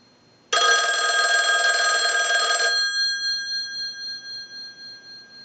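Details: Verizon single-slot payphone at initial checkout, analyzer sending a ring cycle like an incoming call: bright, rapid metallic bell clatter for about two seconds, then fading; ringer works properly.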